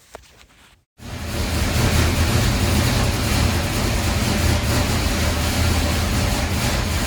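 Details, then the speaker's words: Supercharged 483 big-block Chevy V8 warming up on the dyno before pulls: deep, even rumble at idle with small smooth throttle blips, no misses or pops; sounds healthy. "So, uh, here's what it sounds like with Gary just warming the engine up. Just just an island. It sounds amazing."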